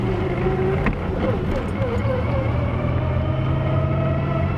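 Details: VR V6 turbo Commodore ute with a newly installed, fully built G-Force T5 gearbox, on its first drive: a steady gear whine that climbs with road speed, like straight-cut gears, with a noisier hydraulic throwout. Cause not known.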